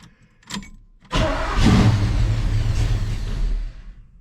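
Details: 1969 El Camino SS with 454 big-block, rewired dash, key try: short blip then starter churns the engine evenly for about two and a half seconds without firing; cranks, no start, though the tach moved.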